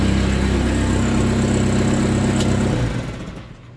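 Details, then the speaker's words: SRT-4 engine in a Mazda B2200 drift truck, running with sensors still unplugged. Low, even idle hum with no skips or shake, then the engine winds down and stops. A smooth, clean idle that doesn't vibrate the truck. "I'm really ecstatic about that idle. Like that. That's a really smooth, clean idle, and it doesn't really vibrate the whole truck either."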